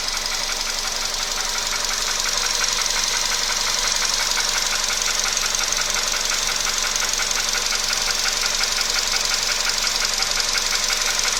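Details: VW Polo Sedan at 28,000 km, knock recently appeared in the engine: fast, even metallic ticking about three per second above a steady idle; source unknown.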